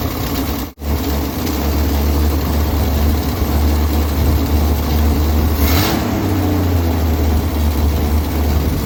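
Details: 1965 Ford Mustang 200 inline-six, started after throttle ball stud repair, no tachometer: steady, slightly fast idle with even, unhurried beat, no misses.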